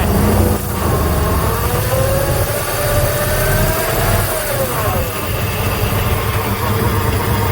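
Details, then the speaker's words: 1996 Jeep Grand Cherokee 5.2 V8 with warm-stall trouble, second cold start after cleaning grounds, heard at tailpipe: uneven idle with irregular stumble and throttle blips, suspected misfire; IAC valve, crank sensor replaced and catalytic converter removed earlier. "Alright, second cold start after cleaning a couple grounds. Still sounds like it has that misfire though. Still sounds like it has that misfire."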